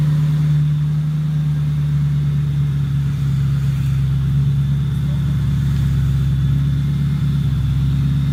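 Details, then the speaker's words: 2007 Mustang GT on first start after a new engine block install: steady deep V8 idle, even low rumble, no misses. Owner says it smells like it is running very rich; running rich is suspected. "it's not happening it smells like it's running very rich"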